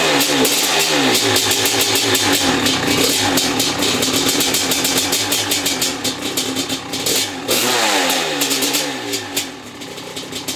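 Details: Maico 660 two-stroke after new reeds, reed intake, jets and clamp-on air filter: crisp cracking that climbs and falls cleanly with throttle, no misfire; started and restarted easily, idle needed adjusting, pipe sealed.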